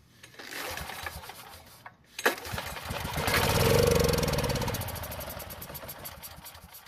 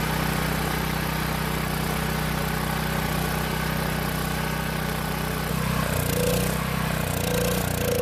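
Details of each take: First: Long-stored Powermate generator given fresh fuel into the carb line and assisted starting; cranks, catches briefly, revs unevenly, then sags and dies, not staying running; carburetor fault. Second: Long-sitting Powermate generator, carb test-fitted without air box and fed fuel directly through short line: holds steady even beat with no misses, then winds down smoothly and stops as fuel runs out; old fuel and carb confirmed as no-start cause.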